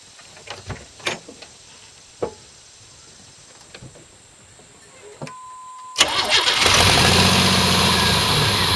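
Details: 1989 Pontiac Firebird barn find, sat for years; starter spins the engine with a steady fast chug, about three beats a second, after a few clicks, never firing. Owner suspects fuel pump, relay or shorted injector; starting fluid tried.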